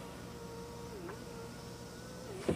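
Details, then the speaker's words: 1997 Mercedes-Benz C200 W202 with about 58,000 km, rear power window test: a smooth, steady motor hum through the travel, with an even pitch and a soft thunk at the stop. The window works properly and runs very smoothly. "Terus ini kaca belakang, gengs. Kaca belakang masih lancar banget."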